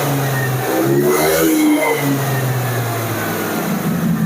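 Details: Carbureted Honda Vario (early generation, KPB code) that came in dead, blipped from idle after repair work: pitch climbs smoothly and falls back with no knocks or rattles; normal revving.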